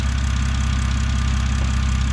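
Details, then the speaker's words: 2006 BMW 325xi, N52 engine, automatic, AWD, warmed up before oil filter housing gasket work and with cam timing faults unresolved: deep, regular idle pulse holding steady with no stumble or tick. Normal warm idle. "all right so runs great now i got it warmed up so i like doing the oil filter housing gaskets when it's a little bit warmer"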